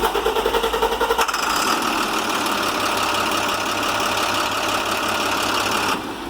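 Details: International MaxxForce DT466, 230,000 on high-pressure oil pump, previously wouldn't restart when warm: warm restart with a second of rhythmic cranking, then catches and settles into steady even diesel idle; now restarts fine hot.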